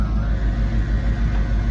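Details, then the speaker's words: Ford Mustang driven again after sitting in storage: deep, uneven rumble and vibration at slow speed. Owner suspects the transmission or shifter; the cause is unconfirmed. "I guess what I do is maybe open it up giving me this like weird-ass vibration sound I quit it when I go slow"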